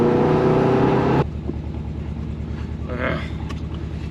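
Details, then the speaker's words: Subaru WRX test drive after a sudden stall at 45 mph: steady quick ticking about three and a half per second over the engine while driving, still ticking as it builds boost; cause unclear, engine feared blown. "it's definitely ticking really really bad really really bad may maybe it's better or maybe it's worse oh no it's not good"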